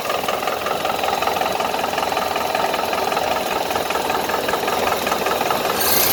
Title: 1931 Ford Model A Pickup Engine Knock